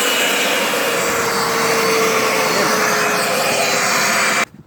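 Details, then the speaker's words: Turbo barrel on a cage buggy heating wood for pyrolysis gas: loud rushing roar with a steady high whistle that holds, then cuts off dead; the turbo won't stay on boost. "It comes up on it and then it just falls right back off it. Very strange."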